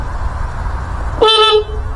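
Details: 1984 Honda Spree scooter untouched in a shed since about 1993: short, steady, reedy honk over background hum. Horn working.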